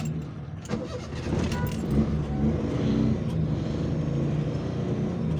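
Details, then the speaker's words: Suzuki Mehran after a repair for misfiring and poor engine performance, with the distributor rotor, cap and plug wires refitted, started in neutral with the clutch pressed. A short crank, then it fires and settles into an even idle without missing. "और गाड़ी हमारी बिल्कुल start हो चुकी है।"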